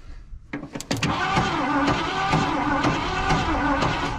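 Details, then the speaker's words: Ford van being revived, cranking on starter: slow, uneven pulses about three a second with strained drone, struggling on compression; owner also heard a bad noise, suspects rod bearings or loose bottom end, unconfirmed. "it doesn't sound very happy happy on the compression side of things either it's it's like a it's struggling it"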